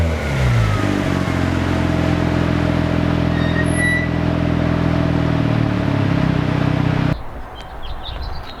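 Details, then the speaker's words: Mazda FD RX-7 rotary on the dyno during a tune: loud, even howl held at high revs under full load with no stumble or surge, then it lets off; boost super smooth, healthy pull. "And they're just buttoning everything up, and Nelson's going through the tune and just making sure everything is smooth. The boost is super smooth, the car sounds amazing."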